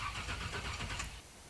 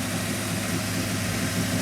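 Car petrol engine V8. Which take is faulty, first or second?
first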